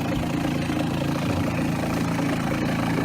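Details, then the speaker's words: Shurflo 4008 maple sap vacuum pump on a deep-cycle battery with solar charging, with the three-way valve closing the bypass to build vacuum. A steady low hum with fine regular pulsing; it works harder once pumping but runs normally. "You can hear the vacuum. You can hear the pump starting to work a bit harder now that it's pumping."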